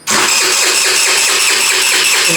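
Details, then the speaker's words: Abandoned scooter sitting for years, first start attempt after fuel line work: rapid even starter whir about four beats a second, never fires; no fuel reaching it. "I don't see any fuel leaving this. I don't see any fuel going. But this, just in case, you never know. It's not trying to get fuel also."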